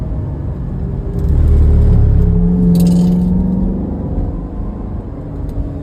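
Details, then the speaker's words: Chevrolet Corvette C7, 6.2 L V8, on highway cruise, 0% oil life remaining; extremely loud, siren-like tonal whine over road rumble, apparently from the rear differential, owner unsure whether the diff is cooked. "Uh, that is the loudest diff wine I think I've ever heard in a car. It's It sounds like a siren. Uh, I don't know if the diff is cooked."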